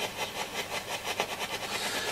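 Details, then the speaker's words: Hacker Hunter RP38A FM/AM radio on 18 V centre-negative supply: rhythmic low putt-putt pulsing about five beats a second replacing reception, badly motorboating; normally caused by an unseated plug, reseating tried. "I turned it on and to my horror it was some what we call motor baut in so let me show you Jewish mystic as you can hear motorboating quite badly"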